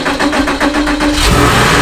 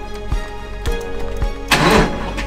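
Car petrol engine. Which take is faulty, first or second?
second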